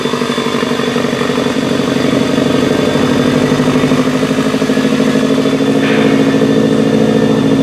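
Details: 2014 Subaru WRX Premium at idle: uneven, slightly lumpy pulses with the beat wandering instead of holding steady; rough idle under diagnosis, cause not yet pinned down.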